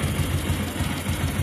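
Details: Motorcycle idling steadily with a light, regular tapping on each firing pulse from the cylinder head area; owner reports a head (top-end) noise.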